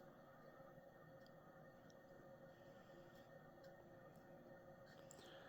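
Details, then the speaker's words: 1985 Fasco Charleston 52-inch ceiling fan running at medium speed: thin steady squealing hum with faint ticks from dry bearings; also wobbles, likely from imbalance. "as you can hear the bearings have gone dry on this fan I'll definitely have to remedy that issue if I ever were to install it long"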